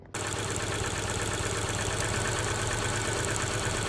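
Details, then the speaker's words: Older Subaru Outback with flashing check engine light and P0301 code: petrol engine idles with an uneven, stumbling beat from a cylinder one misfire; no spark through the plug wire, and swapping wires one and three made the misfire worse. "Now, when I switched those wires, the misfire um it got worse and it it followed that plug wire, but cylinder one was still missing."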